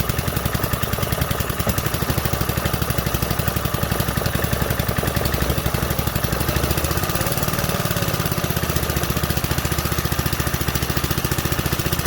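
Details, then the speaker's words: 1968 Briggs & Stratton 2.25 hp single-cylinder, first fire after sitting decades, on full choke; quick even firing at steady fast idle, muffled exhaust, no knocks or misses; runs healthy and quiet. "Man, that muffler is so quiet."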